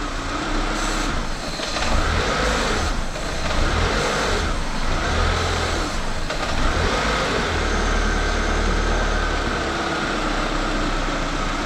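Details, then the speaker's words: Renault Clio 182 Cup petrol engine idling roughly while upper cylinder head cleaner is sprayed into the intake; the note dips and recovers as the idle air control kicks in to hold speed. "So if I spray up here, it doesn't like it, but you can hear the idle air control kicking in."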